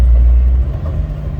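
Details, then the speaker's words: Suzuki Samurai road test after installing a rebuilt transmission (shift collar had been reversed, giving bad gear noise): steady deep drivetrain rumble in first gear with no whine or grinding, and it no longer pops out of first. "it hasn't popped out of first gear so that's a good sign"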